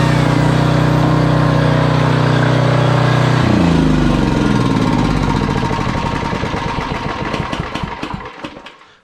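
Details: Generac 5000 W generator, Briggs & Stratton 10 hp single-cylinder, sat for years, air cleaner refitted, drill plugged in: runs steady and even, then beat slows and dies away at shutdown; nothing wrong heard.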